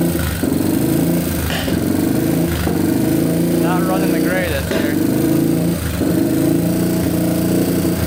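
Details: Yamaha TTR230 single, bought non-running, first start after carburetor float repair and oil fill: sharp irregular pops every second or so over the exhaust note; owner unsure if exhaust leak.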